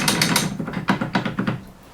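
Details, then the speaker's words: 2011 Polaris RZR 800, drive shafts rocked by hand: loose, irregular clunks in quick bursts; worn drive shaft joints with excessive play, rear not as bad, front all over the place. "This one's not as bad as the front, but it's definitely not great."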